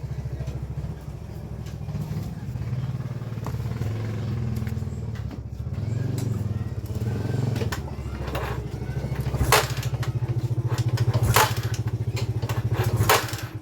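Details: Yamaha Scorpio single-cylinder after fixing a no-start with loss of compression by replacing the timing chain, tensioner and oil filter: settles into a steady, even idle thump with light throttle blips, no knock or rattle; runs clean.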